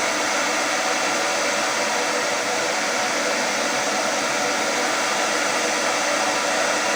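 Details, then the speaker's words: Hair dryer after motor replacement with an aftermarket motor, professional-grade salon dryer used for several years; second fan speed with heating, nearly 8 A draw: steady even airy rush, no rattles, surging or scraping, motor and fan smooth; repair successful, normal running. "także naprawa się powiodła"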